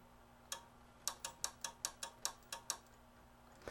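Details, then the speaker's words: Sony KV-13VM42 13-inch TV-VCR with a no-power complaint: relay chatters with sharp irregular clicks as the set cuts in and out; suspected connection issue at a board connector, not confirmed. "we have a connection issue down here is that all it is I think so you hear it clicking on and off right there"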